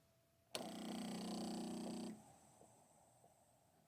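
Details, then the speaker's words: 2018 Mercedes CLA 250 with no boost (P0299) after a turbo replacement. A new non-factory boost control solenoid is actuated on test and gives a strong, deep buzzing pulse for about 1.5 seconds; the solenoid works normally. "And it, hopefully you can hear on camera, it's got a way stronger, deeper pulse. Actually feeling it and hearing it, and smoke comes out of there when we activate it."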